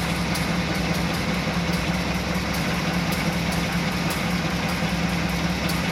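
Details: 1986 Chevrolet C10 idling loudly with an uneven stumble every second or so; suspected misfire that has returned, cause not yet found.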